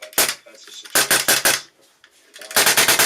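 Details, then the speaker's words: Polarstar Kythera airsoft engine: sharp air shots run together into quick ragged "raspberry" bursts because the disconnector is not engaging enough. At worst it fires full auto. "when you hear a bit of like a raspberry farting sound coming out of your engine that's going to be your disconnector it is not engaging enough the worst case of this is your gun or kythera just shooting basically full auto with air"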